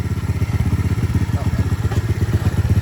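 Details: Aftermarket 125cc engine swapped into a Honda CT90, after removing a clutch-cable spacer that kept the clutch slipping: small single thumps evenly at about four beats a second, no knocks or misses. Healthy idle.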